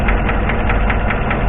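A crisp, even tick about five times a second rides over the idle, most likely a noisy valve lifter.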